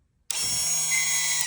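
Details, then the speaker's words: 2020 Audi Q3, 58k miles, rear brake pad change: electric parking brake caliper motor powered from a 12V supply with polarity reversed, high steady whir for about 1.5 seconds, extending instead of retracting; leads then swapped. "Oh, wrong way. Okay, let me redo it."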